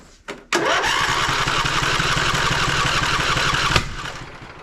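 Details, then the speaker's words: Poulan Pro 700EX riding mower twin, run on the suspect cylinder alone with other plug removed: one sharp pop then about three seconds of uneven cranking that never catches; that cylinder lacks compression, bent push rod suspected. "Well, I got a nice big pop out of it, but didn't get anything other than that. This side has got something going on."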